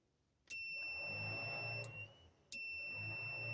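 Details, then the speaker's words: Battery hooked up through a push-button switch on an abandoned, long-sat project car, electric fuel pump by the tank: steady high-pitched hum switches on, pauses, returns evenly; pump priming normally. "I've not turned in power on or anything so let's see if we can hear a fuel pump"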